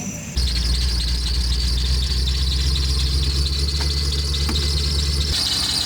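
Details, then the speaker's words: Steady high-pitched squeal over an idling V8, from the front of the engine; source still unknown despite a new belt; temp gauge reads 190 and the cap is missing some rubber. "No, the squealing is coming from up here somewhere. We got a new belt."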